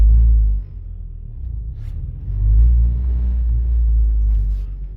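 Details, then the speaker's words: 1999-2007 Ford Focus driving: deep, heavy droning cabin rumble and vibration swelling with load, especially when shifting, from worn-out engine mounts, before replacement. "so that's nothing by vibration from the engine because the engine supports are pretty much gone you hear that right"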